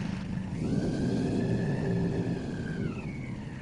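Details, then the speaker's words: Honda Magna with VFR engine swap, 3rd-gen Magna carbs, newly installed Bravex EP12S fuel pump, first start: engine catches and runs a few seconds with low rumble and faint whine, then sags; likely burning leftover float-bowl fuel. "yeah I think there was still a bit of fuel in the car bowls going out it's supposed to shut off when it hits 5 psi"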